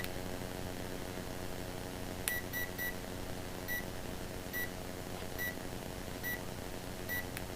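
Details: Hobbywing Quicrun 1080 ESC with a Hackmoto 45T motor in an RC4WD D90 crawler. During throttle calibration it gives three quick high beeps, then single beeps about once a second, and calibration does not take; owner suspects the set/power button was held too long.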